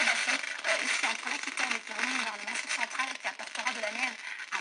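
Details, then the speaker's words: LG 26LC55 LCD TV from 2007, picture fine but programme sound breaks into harsh irregular crackles and pops, then cuts out; fault confined to the audio section, traced to faulty SMD capacitors that get resoldered/replaced. "Donc il y a un problème seulement sur la partie son. Là, on entend que ça craque."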